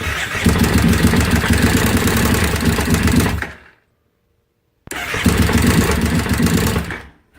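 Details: 2005 carbureted Kawasaki Brute Force after an engine swap, fitted with the wrong stator meant for a fuel-injected 2012: rough starts with backfiring that die after a few seconds; fresh gas and spark plugs were already ruled out.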